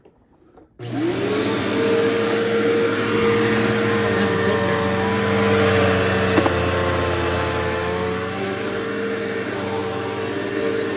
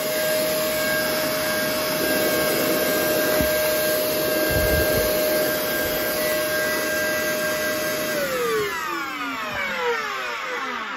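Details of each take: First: Bissell PowerForce bagless 6579-2 vacuum that sat out in the rain with water drained from it; motor spins up quickly to a steady, even hum with a clean, stable tone; normal running. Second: Shark vacuum motor, possibly water-damaged, seemed locked up then freed itself: harsh, rough, terrible-sounding whine at steady high pitch then spinning down, smells of carbon; motor worn out, powerhead also dead.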